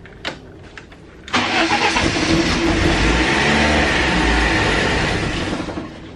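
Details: BMW E36 that sat for months: the pump doesn't prime with the key on, only while cranking. A few short cranking bursts, then it catches and runs unevenly before dying; it won't keep running. The owner plans to pull the fuel pump.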